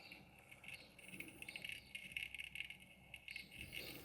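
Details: Electrolux MEF41 microwave that won't turn on, display dark: faint high cricket-like chirping from the buzzer on the control board when plugged in; faulty control board to be tested and repaired.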